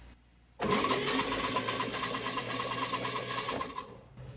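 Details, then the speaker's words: Old car engine cranked briefly with spark plugs removed, no compression: starter spins it fast and light for about three seconds, loose whirring clatter without compression pulses; free cranking, before a compression test. "I'll just crank it just for a sec and you notice the sounds a little different because there's no compression in the engine the spark plug holes are wide open"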